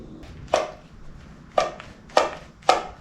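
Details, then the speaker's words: 1974 Yamaha Enduro, engine off: four sharp hollow clacks at irregular intervals, the carburetor slide moving up and down and echoing out of the airbox; the carburetor cable works though the oil pump cable is broken. "So that is the sound of the slide moving up and down and echoing out of the airbox here."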